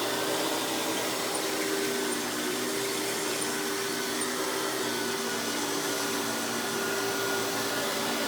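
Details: Hoover PowerMax Supreme 850 S3609 canister vacuum, 1990s, non-original hose, on high speed with power brush: smooth, steady motor hum with constant high whine, no rattles or flutter; runs very smooth, not the quietest; normal running.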